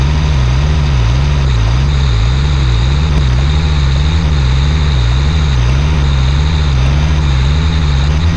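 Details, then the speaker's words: LMTV diesel truck after a CTIS fix: deep, steady idle with a slow even rise and fall, no quick release valve fighting the wheel valve, and the tires return to normal highway pressure rather than run-flat. "well guys i think that fixed it the truck has done its checks about six times now and it keeps going back to the normal highway pressure not the run flat and i don't hear that quick release valve uh fighting with the wheel valve anymore"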